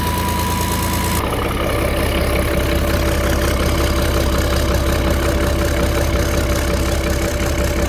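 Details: Starboard engine at idle: sharp, fairly even puffing tick nearly three a second from an exhaust leak between the cylinder head and turbo; exhaust manifold leak.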